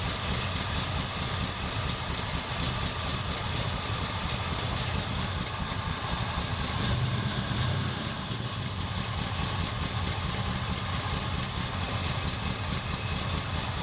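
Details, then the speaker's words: 1977 Ford F250 351M V8, Duraspark II, after carb idle mixture set just over 2¼ turns out: smooth steady low idle with no misses; fixed, idling a little low. "So it runs. Hopefully again it'll start. That would suck if it didn't start all of a sudden. Idling a little low, but it's not too bad."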